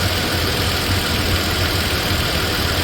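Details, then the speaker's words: Toyota Tacoma (3rd gen, 2016–2023) after an oil change, 5 minutes of idling on a cool day: smooth, quiet idle with an even hum and no lifter tick, at most a faint injector tick; normal idle, quieter than before the service. "Okay guys, this is 5 minutes in. 5 minutes idling. She's purring like a kitten. I mean, I don't know if you can tell on video, but quiet."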